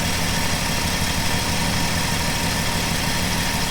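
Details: 1967 Plymouth Valiant slant six on its first start after years stored: steady, low, even idle without stumbles or misses; runs cleanly, though it smokes.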